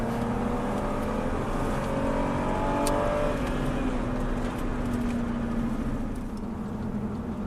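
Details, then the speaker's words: Rear wheel bearing noise on a BMW 328i E36 Touring Individual with M52 double-VANOS engine while driving: steady droning hum over road noise that shifts with road speed, compared to being in an airplane. "Pourquoi dans un avion? Le bruit du roulement, tu sais. Mais du bruit, il y en a partout sur cette caisse."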